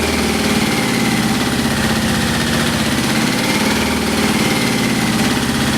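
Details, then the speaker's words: Yamaha XJ650 four-cylinder motorcycle after transmission fluid in cylinders for suspected sticky valve, smoky: lumpy skipping uneven idle pulse; one plug gets no spark at all, another very weak spark, so a cylinder drops out. "I'm going to try to check all sparks if I'm going to good spot for all four corners a little Oh Sparkle number two no term that I've also got a bloody spark one plug it doesn't work at all another plug very weak stuff"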